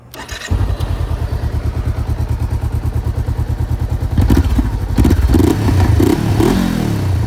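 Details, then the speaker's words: Honda CBR500R with an aftermarket exhaust. Starts cleanly into an even, brisk exhaust pulse with smooth throttle blips and no misses or rattles. Subtle loudness at idle, getting loud only when revved; running normally. "So it sounds much better now, just a very kind of subtle loudness, which is what I like."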